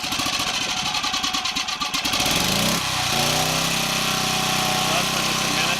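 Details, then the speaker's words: Champion 1200W portable gas generator started on choke with a Frigidaire fridge (4.75 A) plugged in: a few rough pulls and sputters, then it catches and holds a steady, even buzzing run; running normally, fridge lights on. "So it sounds like it's running okay. Lights on in the fridge normal."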